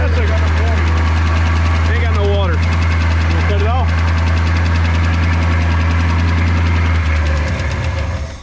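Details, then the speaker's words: 1964 Ford Fairlane 500 started for the first time in 10+ years after freeing the stuck carburetor, smoking a little: low, lumpy, slightly uneven idle for several seconds, then sags and dies; probably running out of gas; rough running and stalling. "well it was cutting off anyway i think yeah because we're running out of gas probably"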